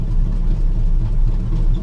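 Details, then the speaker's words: Classic Chevy C10, sat about 5 years and parked over knocking, just started on liquid dynamite poured down the throat: loud, unmuffled, uneven rough idle with a noise down low that sounds like the fuel pump; the fan looks out of alignment. "idling rough let's check it out yeah okay I do hear a noise something in the bottom in it sounds like fuel pump pumping"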